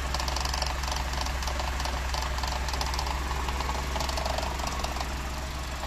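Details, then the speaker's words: Cold first morning start of a 1980s Mercedes W124 petrol engine after EFI conversion: low rpm idle with deep throb and light shake, exhaust still cool to touch; normal cold idle, vibration expected to decrease and stabilise as it warms. "as it warms up of course the vibration will uh decrease and will be very stable"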